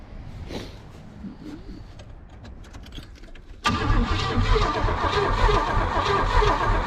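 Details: 1978 Oldsmobile 98 recovered from the woods, with rebuilt carb and new fuel lines: starter churns steadily at about three to four beats a second but the engine never fires. Owner suspects no spark or bad old fuel. Crank no start.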